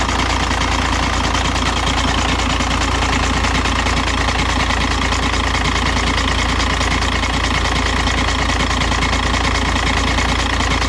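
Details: 2006 VW Jetta TDI 1.9L, 215,000 km, cold idle; quick rough knock from bottom of engine about twice a second, fades after 5 min idling; timing belt changed, transmission flushed, oil pump looked fine; cold-start engine knock, cause unknown.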